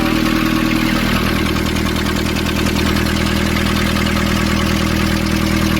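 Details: Nissan Urvan ZD30 diesel after a no-start repair in which a soot-clogged part was cleaned and refitted: steady, even idle with a regular clatter of about three beats a second, no misses or knocks; runs cleanly.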